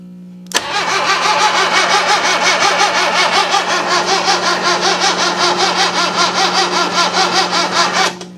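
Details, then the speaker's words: 1966 Datsun 520 abandoned for 40 years, choked, with fuel leaking at a just-repaired spot. Steady starter cranking at about 160 rpm for about seven seconds; it never catches or fires. "It definitely fired on a couple of cylinders for a second. I'm just trying not to completely burn up this starter."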